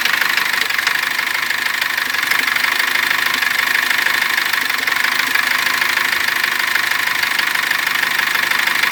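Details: Cummins diesel: sharp knocking about three times a second over a steady idle after warm-up; knock began while driving with partial seizing, comes and goes, persisted after turbo and injector work, full teardown found nothing.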